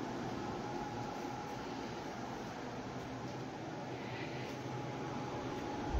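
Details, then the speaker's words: New Silvercrest PD-8871 portable air conditioner, 7000 BTU, R290, about 785 W, second start, still drawing about 78 W before cooling mode: steady even roar of fan and compressor with faint constant tone; not silent, owner doubts it suits sleeping; loud normal running. "Din păcate nu este silențios nu are nici un fel de altii de reglaj"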